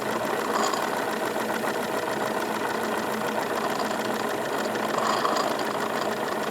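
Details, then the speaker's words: Wilesco D22 model steam engine running, revs raised slightly: fast, even light chuffing with virtually no vibration; background gurgle is condensed exhaust water draining into the catch while steam exits the chimney; normal smooth operation. "just very very smooth operation increasing the revs a little bit I can feel effectively no vibration coming from this thing"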